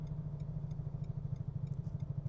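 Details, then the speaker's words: Car at highway speed on the Istanbul–Ankara motorway, driver hears a sudden noise; a rear tyre has blown, with smoke from the back. Fast rhythmic thumping about ten beats a second over low road drone, flat tyre flapping on the rim. "Arabadan ses geliyor lan. Şöyle sola geçiyorum. Oo, arabadan ses geliyor. Arkadaşlar bir şey oldu. Muhtemelen lastik patladı."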